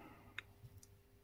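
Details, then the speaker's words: Faulty WARN winch solenoid pack on a bench power supply: a single faint click when energized, then nothing moves, because the solenoid armature is seized solid. "And this one, I just made a very light click. It's not doing anything at all now, is it?"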